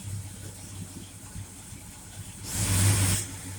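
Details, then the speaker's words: Mopar car, rebuilt Federal-style power steering pump after refill and bleeding; low steady idle rumble, a brief rise when the wheel is turned but no whine or squeal. Normal power steering pump. "no noise don't hear no screaming and whining when I turn the wheel"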